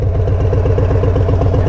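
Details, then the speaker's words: Warm Harley-Davidson Street Bob, Stage 1 tuned, idling with rider off the bike: lumpy loping V-twin idle; a throttle blip levels and quiets it, then RPMs pick back up and surge, sounding strange. Cause unknown. "now watch me blip the throttle levels out quiets down and then right there those RPMs pick back up and sound a little strange again"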